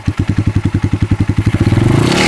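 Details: Kikker 200cc engine at 146 miles, bought at 138 miles not running, after tank and carb cleaning: sharp clattering about twelve a second at idle that blurs as it revs; rattle source unknown.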